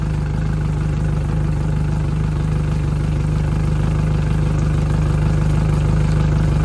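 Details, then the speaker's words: 2010 Yamaha F115 four-stroke outboard on a 2010 Bennington, first startup after years of sitting: idling down with a good strong tell-tale stream; steady even low rumble, smooth regular beat, no knocks or misses. Normal idle. "We got a good strong P stream. Sounds good. Idling down now."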